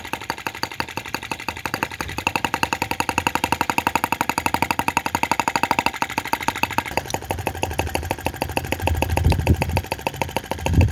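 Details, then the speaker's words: OKMO T16B Lanz-type brass half-tracked model tractor running outdoors at scale speed, working a bit harder: crisp single-cylinder beat near 230 per minute, the note thickening and deepening under load yet staying even; healthy engine under load. "God, it's just... beautiful, absolutely beautiful. Working a bit harder there, you can hear it."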